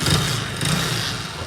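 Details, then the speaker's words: Hero HF Deluxe BS6 motorcycle after a poor mechanic repair, kick-started: engine runs with loose metallic "kad kad" clatter over the beat; separate piston noise, plus excessive kick-shaft play causing grinding; piston noise. "बहुत आवाज़ें आ रही है इसके अंदर, कड़ कड़ कड़ कड़। एक तो पिस्टन की अलग आवाज़ आ रही है।"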